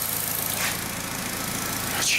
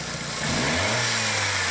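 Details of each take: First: 2003 VW Beetle 1.8T after intake gasket replacement, not fully warmed up but oxygen sensor live: quiet, steady idle with a light hiss, no knock or stumble; idling normally, maybe slightly lean. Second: 2003 VW Beetle 1.8T with many codes (boost control valve N249, misfires, lean trim, pressure drop turbo to throttle), owner complaining of hissing, engine quickly revved: pitch climbs and a loud airy hiss rises under boost; split boost hose leaking.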